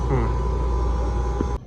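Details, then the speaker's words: Electro Freeze ice cream machine called in for not freezing, compressor running: steady, even low hum with constant tone, no knocks or rattles; normal compressor running, burnt pump relays found but unrelated. "And there she goes. See her running."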